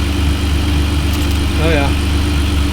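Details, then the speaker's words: Ferrari 575 V12, converted to manual, first start after DIY timing belt major service, fresh Pennzoil 5w40 and Zerex G05 coolant, not yet fully warm: good oil pressure, steady even idle, no knocks, ticks or misses. "well we got good oil pressure started right up and then a grenade these are good signs well it appears to be running okay up here so that's all good stuff"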